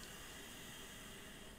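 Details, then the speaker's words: Philips LatteGo espresso machine after repair, heating up with water tank fitted: steady soft hiss throughout; possibly the heater was wetted when a hose was removed, or the heater overheating, uncertain; hissing while heating likely natural. "bo słyszycie słyszycie syczenie było polane wodą po prostu czy grzałka się przegrzewa No nie wiem"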